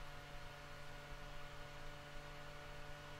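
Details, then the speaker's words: Roland V-1HD video switcher: low steady hum with faint airy hiss from its small high-pitched internal cooling fan, loud and obnoxious with the lid on or open, before fitting a quieter external 120 mm fan. "that's the sound of the internal fan and with the lid open it might be a little bit louder but it's almost more obnoxious with with the lid on"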